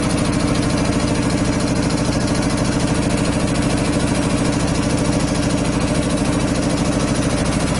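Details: 25 hp air compressor on single phase through a 25 kVA transformer, just started and pumping up (unloads about 145–150 psi, reloads about 115): steady, even three-cylinder thumping near 800 rpm, no knocks or rattles; normal loaded running.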